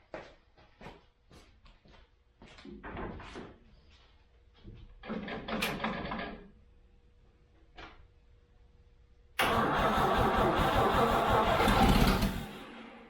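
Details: Toyota FJ40 Land Cruiser first start after purchase, throttle stuck, no choke, no oil pressure shown on gauge: short cranking bursts, then it catches and runs loud and raspy with a blatting rumble; big hole in the exhaust.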